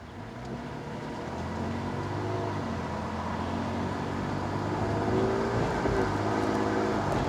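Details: 2020 Toyota Tacoma TRD Off-Road while driving: faint gear-type whine from the rear climbing and fading with speed under road noise; owner suspects the differential, unconfirmed.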